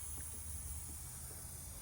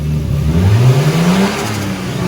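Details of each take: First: Nissan R32 Skyline intake pressure-tested after fitting intercooler piping, engine off: faint continuous hiss of a small leak, suspected through the throttle body or idle control valve, possibly gasket. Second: Turbo Nissan R32 Skyline revving after the throttle position sensor was fixed, before its tune: note climbs smoothly and falls back without stumbling, turbo whistle and exhaust audible; no leaks, running well.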